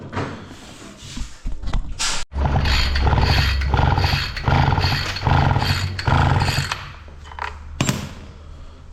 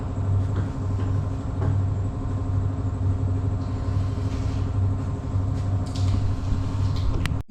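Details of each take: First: Husqvarna 553 RBX brush cutter, previously overhauled, that quit while mowing: repeated starter pulls give short, deep whirs that never catch; a spark check shows only a very tiny, insufficient spark, blamed on a faulty ignition coil. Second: Husqvarna 553 RBX brush cutter, previously overhauled, after repair: a steady, even engine drone with no misses or surging, running smoothly and healthy.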